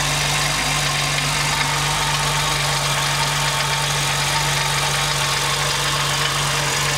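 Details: 2005 Jeep Wrangler Rubicon at idle with the accessory belt removed: fast, light ticking keeping time with engine speed, only on cold start and gone once warm; cause unknown.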